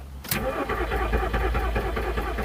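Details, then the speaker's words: 2002 VW Polo non-runner, cranking after new coil packs fitted: steady rhythmic starter chugging about two seconds, never fires; crank no start, coil packs not the cause, crankshaft sensor and ECU next suspects. "Right, moment of truth. Have coil packs sorted it. Oh, thought I had it then."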